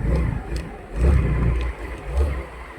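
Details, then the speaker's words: Rusi Rapid GY6 scooter after the rusted carburetor was fixed: low throaty engine rises and falls through three blips, dropping back to idle each time without stalling; no longer dies when the throttle is released, running healthy. "pero ngayon okay na okay na gagamit na siya ng maayos"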